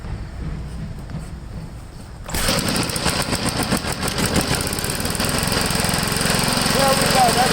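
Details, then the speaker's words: Vintage 3 hp Briggs engine driving a water pump or tester, unrun for 15 years, after freeing a stuck-open throttle so the governor works: it bursts into life and settles into a fast, steady, even putter. Normal running. "well it started up one more time it seemed to run on its own right now"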